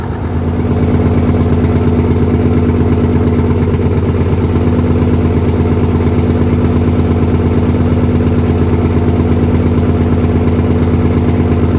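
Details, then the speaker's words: 1968 Dodge C500 truck at 55°F, first start after air system repair: deep, even rumble holding a steady idle with no knocks or misses, heavy smoke, air pressure building to about 90 PSI. "God damn, she runs."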